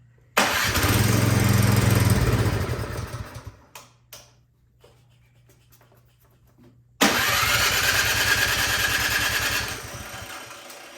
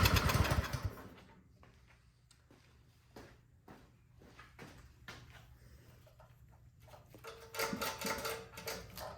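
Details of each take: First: Troy-Bilt Storm 2410 snowblower, full choke and primed, electric start; fires on the button, runs a few seconds, fades and dies, then restarts; clogged carburetor jet starving fuel, fixed by carburetor cleaning. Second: Troy-Bilt Storm 2410 snowblower that would not start, owner suspecting a carburetor clogged by old gas; started with the electric start, choke on, unprimed. A loud start, then a low, steady putter with no stalling or surging; it runs normally.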